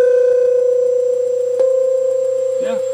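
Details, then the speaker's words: MIDI-controlled Hammond tone generator through mixer, with mixer's USB also plugged into computer to test for another 60 Hz ground loop: steady pure tone with no buzz or hum, not worse; slight background screaming remains; clean tone. "so i'm going to plug that into the computer too which probably generates creates another ground loop let's see if that worsens anything just while we have it on camera here oh that doesn't seem like it's worse"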